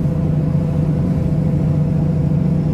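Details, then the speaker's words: Worn right-side wheel bearing on a Ford Del Rey (carbureted) at road speed: steady low hum droning under the car, bearing not yet replaced though a new one is bought. "os para vocês ainda não tivemos tempo de trocar o rolamento por isso que tá esse barulho chato do caramba mas é isso aí"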